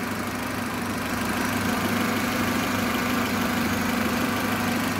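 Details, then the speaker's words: Car at idle after a workshop repair of a knocking/squeaking noise, before the test drive, in rain: steady idle hum with no clear knocking or ringing under background hiss. The owner says it runs fine, just as when he bought it. "Boga, da vam kažem, fino radi. Tačno onako ko radi, ko što sam ga i prije uzeo."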